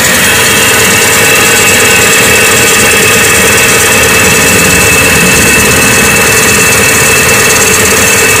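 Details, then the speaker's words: Hyundai Atoz petrol engine idling cold in the morning: fast, light ticking over a bright, thin running sound, louder when cold; suspected dry parts, timing or tensioner, not confirmed. "video kali ini saya akan menunjukkan suara tek tek tek di mesin hingga atas ya tiap jadi suara itu muncul ketika mesinnya dingin ini contohnya"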